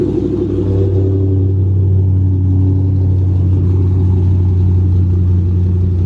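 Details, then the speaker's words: Cammed 3V Mustang (2005-10), 75,000 miles, custom tune, idle set to 1140 rpm, slightly warmed: deep steady exhaust rumble with only faint irregular lope; cam chop barely there, sounding near stock. "I don't know how it's going to sound on camera, but the chop is barely there. This sounded like my car stock."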